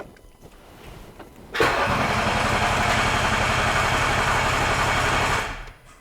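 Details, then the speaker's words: Range Rover L405 3.0 TDV6 diesel, rebuilt engine on its first start attempt with no exhaust: it catches and chugs evenly for about four seconds, then dies; a new trigger wheel was needed. "But it's trying for louder, for longer, Much longer. and it turns off. As soon as the gearbox engages, it disconnects."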